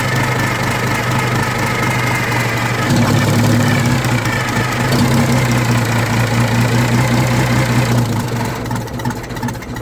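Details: Old Detroit Diesel two-stroke in a vintage GMC truck, with the exhaust off at the manifold, still gives a loud, ragged, uneven clatter and smokes; the owner suspects old fuel, but the cause was the emergency air shutoff valve on the blower stuck shut.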